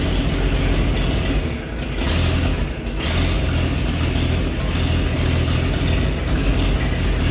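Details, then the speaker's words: 1948 Chevy truck engine, unrun for 30 years, diesel fuel in oil pan, new coil, first start: deep steady low rumble idle with brief dips, no knock or miss; running good, some steam from thermostat housing. "so you guys heard a run you know she's running good"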